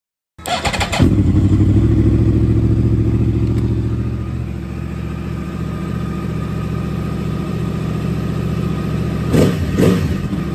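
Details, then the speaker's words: Yamaha R1 that had fault code 12 no-start, starter solenoid bypassed by jumping wires to battery: short starter whir, engine catches at once, steady even idle with blips; starter motor good, code 12 gone. "so what that test tells us is that the starter motor itself is good and if you took note there's no longer a full code 12 and a Dash"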